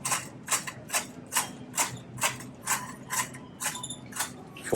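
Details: Shopping cart being pushed: sharp, even clunks about two and a half per second as it rolls, like rail joints; a wheel is knocking, cause unknown.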